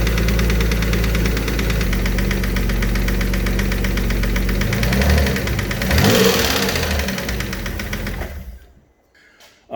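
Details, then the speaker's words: Alfa Romeo 147 GTA engine idling after top-end checks, with fault codes reset and lifters now quieter: a deep, heavy knock about four times a second from the bottom end, pointing to a worn rod bearing. The bottom end needs a rebuild. "man so yeah bottom end is knocking we've uh gone through everything else on the top end just to try and eliminate everything"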